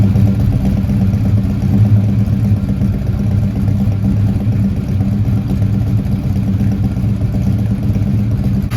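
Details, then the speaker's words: 1971 Dodge Demon 340 V8 idling after valvetrain work: fast light lifter tick over lumpy idle; number 8 now quiet but number 3 ticks persistently, lifter suspected not pumping up, so the valve cover comes back off. "Number 8's gone quiet, but we've actually got a ticker on number 3. And it's not going away, so I'm going back in."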